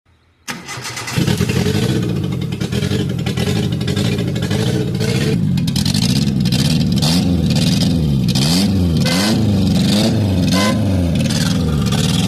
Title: Exhaust Leak Symptoms: 6 Warning Signs You Should Never Ignore👨🏻‍🔧#GURU#